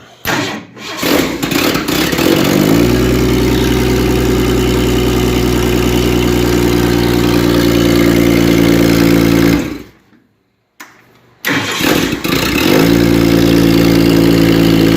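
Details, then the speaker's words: Rebuilt Ford 300 inline-six (4.9L) after valve adjustment and distributor condenser replacement, no radiator fitted, started with a little choke: fires after short crank into a steady even idle, loud exhaust, no knocking or spitting back; normal start and idle. "you don't hear any knocking of course I know it's got a loud exhaust on it but you don't really hear any knocking you don't hear the violins acting crazy or anything like that"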